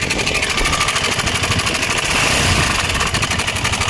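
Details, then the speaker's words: KTM Adventure 250 single-cylinder bike idling with a harsh, uneven internal clatter, sounding as if something inside the engine has broken; engine guard, top and fuel tank to be removed to find the cause. "అయితే విన్నారుగా friends engine లో ఏదైనా పగిలిపోతే మనకి ఏ విధంగా అయితే sound వస్తుందో ఆ విధంగా అయితే సౌండ్ అయితే వస్తుంది"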